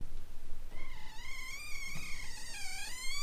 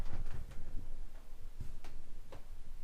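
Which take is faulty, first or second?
first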